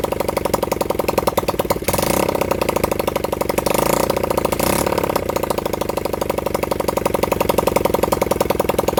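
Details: Honda CB100N motorcycle first run in over 20 years, on a half-flat battery: single cylinder fires in a quick, uneven patter with a pop, stumbles and surges before cutting out; rough running.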